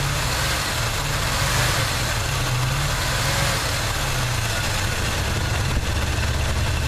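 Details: 1979 Chevy truck, 350 V8 with automatic choke: loud, uneven idle with a lumpy, stumbling exhaust beat that never settles. Plugs are clean and unfouled and compression is sound. The idle misfire's cause is still unknown.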